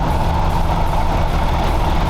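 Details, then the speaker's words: Toyota 4Runner 22RE with chronic high idle: steady, slightly fast idle. Foam pushed in beside the throttle linkage drops the idle, showing air leaking past the edges of a throttle blade smaller than its bore. "we hear the idle go down this tells me that the edges of the throttle blade are leaking and that the throttle blade itself is smaller than the bore of the throttle body"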